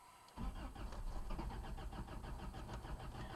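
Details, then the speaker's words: Toyota 22R with a Weber 32/36 carb and 7,000 miles on a rebuilt motor, cold start at about 10 degrees after sitting overnight; starter churns with quick regular pulses for several seconds without the engine picking up; hard cold start. "it's about 10 degrees outside. Truck's been sitting all night, and this is how she starts."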